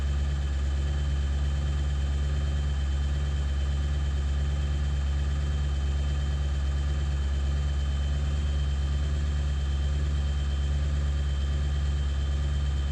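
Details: 7.3 diesel at idle after ICP sensor replacement, still not running great: a heavy idle with a steady low drone and an uneven pulse of about three beats a second; rough idle, cause not identified.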